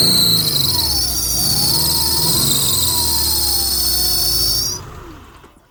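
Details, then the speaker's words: Subaru Legacy that had overheated, running after water pump, timing belt and head gasket replacement: a loud, piercing, steady alternator squeal over the running engine that cuts out when the engine stops. "Генератор шиқылдап тұр."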